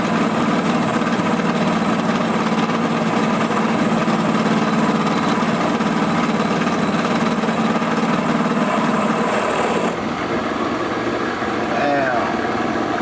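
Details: Drill press during pulley replacement: constant grinding buzz with humming drone underneath that drops away near the end; the cutter is chattering, and a bad lower bearing is suspected.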